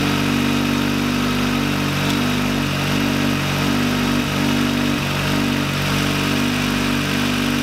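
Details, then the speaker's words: VW Lupo 1.8T, first start after engine damage and rebuild with H-beam rods, new bearing shells, 2 mm head gasket: steady, even idle with a constant low hum, no knocking or ticking; running smoothly. "alles ist fertig also der wagen läuft sehr sehr gut erstaunlich sehr sehr gut da bin ich auch bisschen stolz ja läuft sehr sehr gut"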